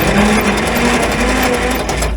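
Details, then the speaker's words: 1950s Roller engine cranked on a weakening jump pack with plugs out after oil put down the cylinders: quick, smooth whirring spin, no labouring or catches; free cranking, vast improvement. "the jump pack seems like it's wearing down but yeah that's that's vast Improvement definitely better than I thought it was going to be"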